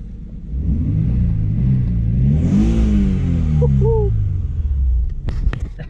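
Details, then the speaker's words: 1992 Nissan 300ZX twin-turbo, running for the first time in 16 years after new injectors were installed: the engine rises smoothly to a blip and falls back evenly with a clean note and no misses. Normal revving. "sounds pretty damn good"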